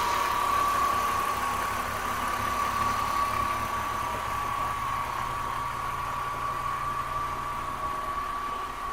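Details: BMW M54B30 inline-six at idle with a light ticking rattle, about four per second, over a steady hum; cause unclear.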